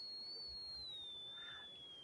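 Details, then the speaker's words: Tesla coil running: thin, high, steady resonant ring slowly sags lower in pitch as a hand placed into the coil's field loads it. "so Nathan when you put your hand in it the the the resonant ring sounded different oh it did yeah"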